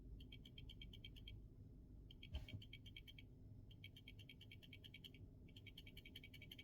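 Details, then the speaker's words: Samsung S24 Ultra rear camera modules shaken by hand off the phone: the old faulty module gives quick bursts of light crisp ticking from its loose rattling optical image stabilizer, the new module stays silent; the camera vibrated during video recording. "so this is the old one you see it shakes can you hear this and now check this one out that's the new one I can't hear anything but this one you can"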